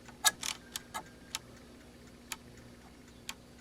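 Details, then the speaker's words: ASTAR DVD player laser sled sticking on a dry mechanism, no disc loaded; on power-up the moving sled gives uneven sharp ticking clicks, so the noise is the sled, not the disc; a limit switch is likely not being made; later oiled. "but if I actually go and move this gear so there's some sort of limit switch that is not being made and you can hear when I spin that that's what the noise is so it's not the disk itself"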